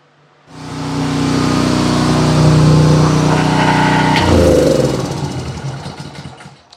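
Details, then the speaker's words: Propane generator, a day after oil top-up fixed its shutting off, run before return to the customer: constant, even drone with no surging or misfire, then winds down; healthy running. "folks it's a day later wanted to open the door and let this thing run make sure before I give it back to the customer"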